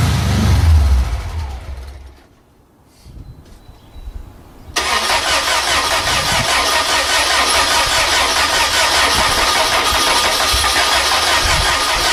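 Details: VW engine run on vaporized gasoline through a simple vaporizer feeding the carburetor intake, valves adjusted together; brief crank, then it catches and settles into a steady, even idle with constant rhythm, running fine on vapor: normal start and idle.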